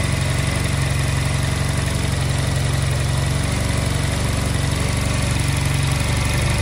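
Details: Honda Silver Wing twin that would not start, fitted with new spark plugs, before air/idle sync adjustment: steady, even low idle, no knocks or misses, ticking over smoothly; normal idle.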